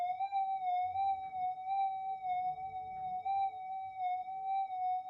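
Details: Repaired Minelab GP Extreme metal detector, freshly repaired with a new main-oscillator inductor, on the bench with volume turned up: a clean, steady mid-pitched threshold hum with a gentle slow wobble, no crackle or dropouts. Normal healthy threshold tone.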